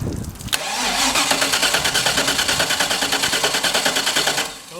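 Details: Boat engine (260 hp) cranks on the boat's battery wired straight to the starter, steady three pulses a second for about four seconds, but never fires. Cause suspected, not confirmed.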